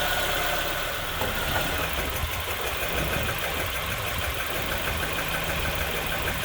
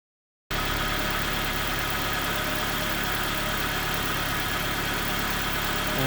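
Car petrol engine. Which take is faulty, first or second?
first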